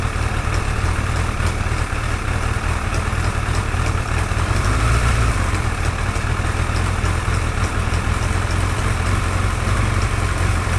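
Deep steady idle with a light, fast top-end ticking riding over it; the source isn't clear from the sound alone.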